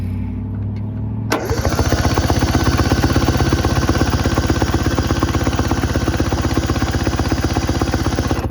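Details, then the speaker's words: 1970 Subaru Sambar pickup off the road 40 years, rotor just refitted in distributor: steady cranking about four beats a second with no firing; won't start, bad coil suspected, later found badly worn points. "Still nothing. Damn. I have a feeling we probably have a bad coil, so I'm gonna have to order one of those and then we will be back to it."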